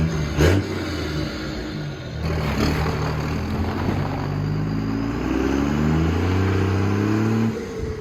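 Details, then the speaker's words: Cummins diesel truck around 45-50°F, after working on an exhaust brake that had been frozen open: pulls up with a climbing turbo spool, then a clear blow-off whoosh on throttle lift; normal turbo blow-off. "When I let off, it's not just like a little bit of a whistle. It's like the actual, like, Cummins blow-off sound. And it sounds frigging amazing,"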